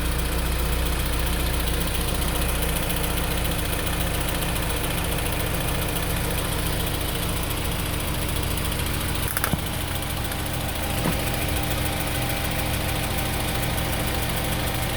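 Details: 2003 Honda S2000 after an AP2 retainer swap and multiple valve adjustments, idling steadily with a light, fast ticking from the top end; valvetrain tick, cause unclear.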